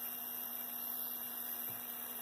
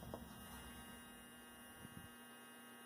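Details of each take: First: Athearn Blue Box F45 model locomotive, 280 motor tested at 14 volts on the bench before the bearings are oiled: thin steady high whine over a low hum at constant speed, drawing about 0.049 amps. The bearings are running dry. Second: Athearn Blue Box F45 model locomotive, 280 motor being fitted in place of the FF-180, on bench clips after the bearings were oiled with two dots: low, steady hum with no rattle or squeal. Current draw dropped slightly and it runs quieter than before.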